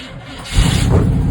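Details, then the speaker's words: Chevy K5 Blazer 350 small-block V8, first start after replacing the mechanical fuel pump: brief crank, then catches immediately and settles into a strong, even run with no stumble; normal start. "no way. Just immediately started. That's good."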